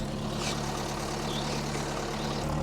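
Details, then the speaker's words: 1980 Mk1 Ford Fiesta 1.1L at first start during restoration, restarted after adding coolant to test idling without choke; steady, even low idle, constant pitch, no misses, knocks or hunting; normal idle. "I put some coolant in it so I can now run it for a little bit more and see if it uh see if it can idle without choke"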